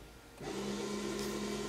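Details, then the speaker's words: 2008 VW Passat drive-by-wire electronic parking brake, scan tool opening calipers into service mode before rear pad replacement: caliper motors spin up with a steady, even whir at constant pitch while releasing, about 30 seconds; normal. "know if you guys can hear that so there's a noise coming from the motors on the calipers right now so as you guys can see it's releasing the parking brakes"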